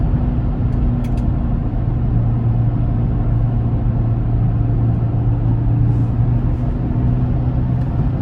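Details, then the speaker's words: 2004 Chevy Trailblazer EXT LS 4x4 4.2L six, on spare tire test drive: low steady hum and slight vibration changing with speed, from front passenger side, truck pulls right; tire ruled out, front wheel hub bearing suspected, hubs then replaced. "okay so that test driving session just proved to me that it's definitely not the tire with the hum and the slight vibration changing with the speed of the vehicle i'm really suspecting that it is the wheel hub"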